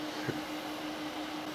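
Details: LED96 WiFi projector from AliExpress, microphone right against the unit: quiet, steady low hum with soft airy rush, no ticking or pitch wander; normal cooling fan hum, not loud, but best not mounted overhead.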